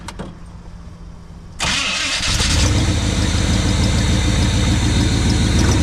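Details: 1980 Chevy K20 squarebody 4x4 with freshly rebuilt Quadrajet carb and new fuel filters, cranks and catches, warming up: brisk even idle, a little high, no knocks or misfires; vacuum leaks to be checked and adjusted, later tune with vacuum gauge.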